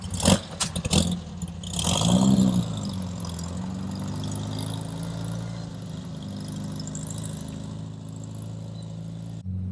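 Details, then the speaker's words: 1967 VW Beetle on its first drive after an intake manifold, carburettor, distributor and valve adjustment: sharp pops as the throttle opens, then an uneven labouring drone, hesitating when stabbed; owner suspects lean running or valves, later blamed on tight valves and water in the carburettor. "So I took it for a drive. As you heard, it's still popping. It still doesn't want to take the throttle when I stab it. So I feel like it's running lean."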